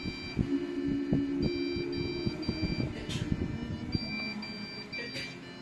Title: how to fix PC it is beeping Non stop and won't turn on, appreciated the Answer Thank You